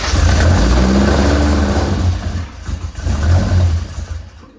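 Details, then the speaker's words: Newly built custom engine with freshly installed carburetors and exhaust, first start: deep, lumpy note climbs on throttle blips then sags and wavers as it drops back; suspected fuel mixture problem, only running on pumped fuel. "Cuz it seems like it's just running on the fuel you throw in there. >> Yeah. >> And then it runs out of fuel."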